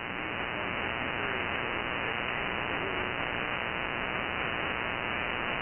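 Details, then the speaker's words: Anan G2 receiver with noise blanker off in area with heavy power line RFI: steady harsh hiss swamps the band with no signal underneath; power line interference. "if you're a subscriber to my channel you know that I live in a area that has a lot of Powerline RFI and this is with the noise blanker off and this is how it sounds"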